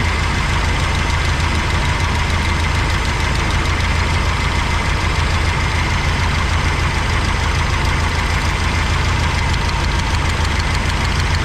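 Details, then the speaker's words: 1985 GMC C25 V8 idling with the valve cover off during lifter adjustment: quick light ticking, about three a second, over a rough idle; one lifter still loose; fix is tightening until quiet, then 1/8 turn, since oil not yet changed. "Sure you can hear that one, right? So what you do is you just close it, no noise, 1/8 of a turn."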